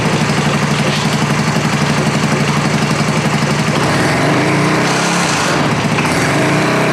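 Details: American Sportsworks Carbide 5150 go kart, GY6 150cc single, first start after replacing starter clutch (one-way bearing); catches and settles into steady, even putter with a brief rev blip, runs cleanly, healthy normal running.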